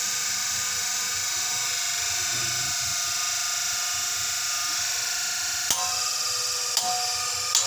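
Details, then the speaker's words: Washing machine spin motor during case replacement: steady high-pitched whirring with a faint scratchy edge from the rotor lightly rubbing the stator. Rotor rubbing stator. "Guys, medyo may kayod na konti. Kailangan natin pitikin. May kayod sa stator."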